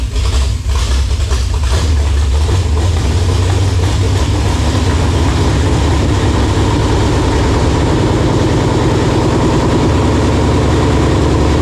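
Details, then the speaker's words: First start of a freshly built 454 big-block for a '72 K5 Blazer on a homemade engine stand: catches at once, settles into deep steady even idle, strong low rumble, no stray knocks; little blow-by, rings seated. "nothing sounds bad i mean obviously we did a good job with the lifters and everything so there's not a whole lot of blow by but the rings also have seated in"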